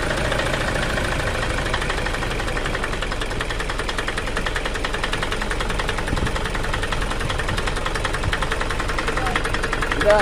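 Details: Toyota Fortuner common-rail diesel idling with a harsh, uneven clatter and buzzy vibration, engine shaking; rough running caused by a faulty injector driver (EDU) outside the engine, no engine teardown needed.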